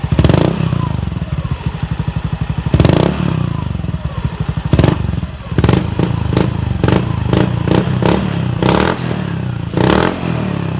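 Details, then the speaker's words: Honda Beat FI scooter that stumbled at low and high revs, after a new fuel pump reaching 43 psi. Crisp throttle blips rising and falling cleanly from idle with no bogging. Normal revving. "Oke, motor sudah responsif kembali."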